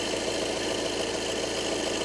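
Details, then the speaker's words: 2012 VW Passat at steady idle: light fast rattly ticking from the belt side; with the drive belt off the AC compressor showed wear marks, compressor seized and broken, catching, causing the noise (AC on/off made no difference). "i can see marks there's signs of wear there and that i think it the noise that we were we were hearing so it's catching there"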